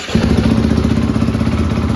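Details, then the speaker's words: Rebuilt 2013 Yamaha YZ450F with a replacement head for the cracked original, electric start. Catches instantly on the button and settles into a quick, even single-cylinder idle with no misses or knocks: starting and idle are healthy. "That's nice. No trying to kickstart it and having issues. So you just push the button and start."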